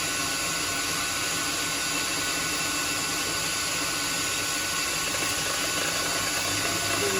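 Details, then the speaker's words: Lathe turning 8 mm solid brass rod down to about 7 mm for M7x1.0 shelf pegs, light cut: smooth steady hiss with no rattling or squealing; cutting cleanly without chatter. "i think we have a short light out it's not really any chatter"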